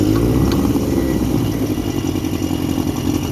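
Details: 1959 Elgin 7.5hp two-stroke outboard on 24:1 full-synthetic mix, pond test after crankshaft end repair: fires straight up and settles into an even, busy buzz with no misses or knocks; sounds healthy.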